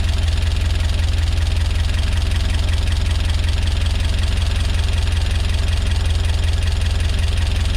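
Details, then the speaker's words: Peugeot 205 GTi Mi16 rebuilt engine, first fire-up after oil priming: even idle with quick regular light tapping over the low engine note, very loud tappets; owner hopes it clears over time, unconfirmed; tappet noise at idle. "Sappy, but apparently it'll clear up after a while. That's what I hope. Wow, really tappy that."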